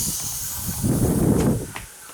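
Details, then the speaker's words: 2000 Chevy S10 4WD with a 4.3L V6 and an intermittent long crank. About 30 psi of air is fed back into the fuel feed line, then released. A soft hiss swells and fades as pressure bleeds into the tank: fuel pump check valve leak. "as I squeeze the uh the nozzle and go up to 30 PSI I let it go you can hear the pressure bleeding off into the fuel tank through the fuel pump check valve"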